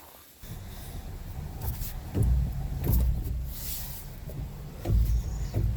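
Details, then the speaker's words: 2008 Pontiac G5: deep, irregular boom, boom, boom clunks over a low vehicle rumble from a bad driver's-side front strut bearing, before replacement with a Moog strut bearing kit. "You can hear that boom, boom, boom. That's the strut bearing on the."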